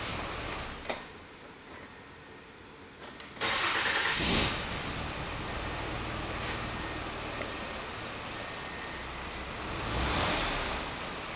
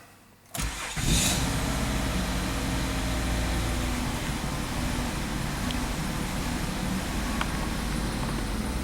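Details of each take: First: 2005 Mazda 6 3.0L V6 with lean codes P2195/P2197, restarted after clearing codes: idle dips and swells, stumbling when short-term fuel trim ramps to 25% then drops; lean stumble at idle, later traced to a cracked cylinder head. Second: 2005 Mazda 6 3.0L V6, codes cleared, five gallons of fuel added to dilute alcohol left in the tank: quick crank, immediate catch and smooth even idle without stumbling; normal start.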